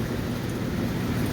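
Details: Hot tub after pump replacement (old pump squealed, then quit and hummed): even, continuous rush of water from the jets, no squeal or grinding; new pump running smoothly.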